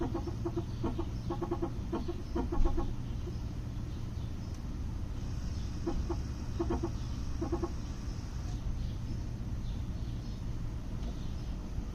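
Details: 2008 Toyota Prius stopped with the brake pedal held: bursts of rapid, clucking chatter come and go over a low, steady hum; cause not stated.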